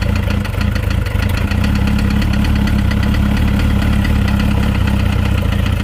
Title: Motorcycle Engine makes knocking noise